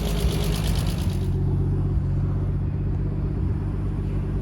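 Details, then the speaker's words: Turbo-converted Nissan R33 RB25 after new head gasket and head studs, restarted the day after a top-end knock; steady, smooth idle with no ticking or knock, owner thinks the lifter has settled. "it is quiet so the lift has lifted knock has gone so hopefully it's just settled down a bit and it's gotten better"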